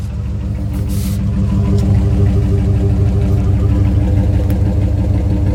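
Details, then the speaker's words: 2003 Dodge Ram long box with the muffler cut off by angle grinder: loud, deep, throbbing idle with a steady pulsing beat and no muffling. Exhaust runs straight through. "Absolutely zero exhaust on a 2003 Dodge Ram. It's not too bad. I've heard worse."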